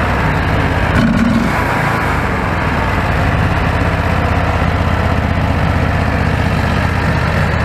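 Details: Predator 670 V-twin, stock carburetor previously unstable at idle, after adjusting the carb screws under removed caps: steady even low putter with no hunting or surging, smooth stable idle.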